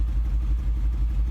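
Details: 2010 Mercedes-Benz with check engine and transmission warning lights misfiring badly; low, uneven run with a stumbling pulse every few tenths of a second; several mechanics visited, cause not yet found.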